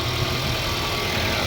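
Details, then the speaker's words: Mercedes-Benz CLA W117 after water pump replacement and coolant refill: smooth even idle, steady low hum, no whine or chirp from front of engine; noise gone. "อ่ะเดี๋ยวมาสตาร์ทเครื่องดูเสียงกันนี่ครับเงียบกิ๊บเลยครับเสียงอีๆๆๆๆหายไปแล้วนะนี่ครับปั๊มน้ำตัวใหม่"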